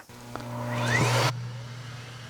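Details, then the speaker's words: Miele C1 Classic (S2) vacuum motor after rebuild, used daily for eight years: spins up to a clean, rising whir, then coasts down with no grinding or rattle; sounds healthy, though the wind-down is still a little long. "That actually sounds really good. A little bit of a long wind down still."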